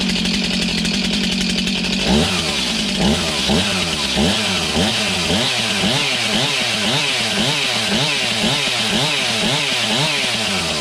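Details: Stihl MS291 chainsaw, bought used online, just serviced; moved from full to half choke, it starts after a few seconds and settles into a steady, even two-stroke burble with regular rev swells: runs clean.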